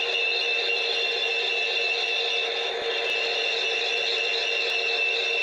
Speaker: In the second phase of the problem, when the serpentine belt is more worn out, you'll hear a squealing sound.